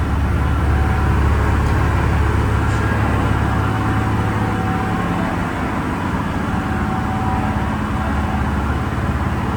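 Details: Diesel-powered fire sprinkler pump on its weekly half-hour test with the isolation valve closed: a loud, steady diesel drone with an even low throb and no knocks or misses; normal running.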